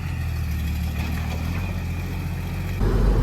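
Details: The "80" diesel after a turbo install: steady, deep idle that picks up cleanly on a short rev, with no puffing or ticking from the exhaust; normal running.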